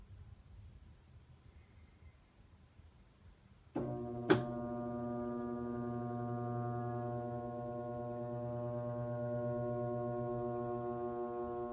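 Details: Whirlpool Cabrio top-load washer that won't start, lid lock flashing: a click, then a steady low hum with no drum spin-up. It is stuck at load sensing because the load-size sensor motor failed, per a technician, not the lid lock.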